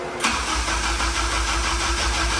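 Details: K24-swapped DC2 Integra cranking with injectors unplugged, ECU running previous owner's K24 program (fans on): steady, even starter cranking, smooth regular beat, no knocks or dragging; normal cranking.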